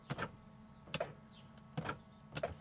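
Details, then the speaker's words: 1998 Jaguar XK8 project non-runner, ignition on, engine off: driver window switch pressed, faint whirring click repeats four times in under three seconds but the glass never moves. Window drive failing; door module in doubt. "I can hear something trying, but no. Up. No. Left. No."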